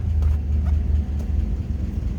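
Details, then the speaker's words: 1954 Chrysler New Yorker, 331 Hemi V8, PowerFlite automatic, 54,342 miles: fires right up and settles into a low, even, steady idle rumble with no knocks or misses; starts like that every time, sounds healthy. "let's go ahead and start this up so you can hear it run just fires like that every time"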